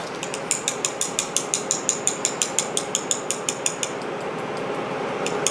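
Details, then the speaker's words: Braillo embosser magnet rack during servicing: fast, even sharp clicking over machine hum from a loose magnet, stopping as the sponge bar is slowly raised into adjustment. "so you'll slowly bring up the sponge list tell you just until you hear the clicking stop"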